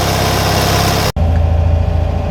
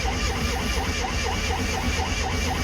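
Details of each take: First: Classic Fiat 500 twin, warmed a little and pulled off choke, though possibly not fully off because the choke cable seems slightly sticky: low, even putter at a relaxed idle with steady beats, no misses or hunting; normal idle. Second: Classic Fiat 500 twin, not run for a while, started on full choke after the idle screw was wound back from about 2 to 1.5 turns: starter churns about four turns a second for several seconds, slow to fire while pulling fuel through.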